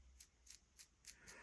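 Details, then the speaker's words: Traxxas E-Revo 2.0 RC truck right front wheel bearing turned by hand: faint quick gritty ticks, about three to four a second, from dirt inside the bearing before cleaning and replacement. "So I'm gonna clean this off a bit, and I can hear the dirt inside as it turns."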